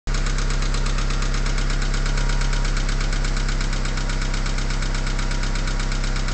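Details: Mitsubishi 4G63T turbo petrol engine, 143k miles, cold start after 8–10 hours sitting, idling: rough, loosely spaced knock near four per second under the drone, gone when warm after about a minute; owner suspects lifters or piston slap.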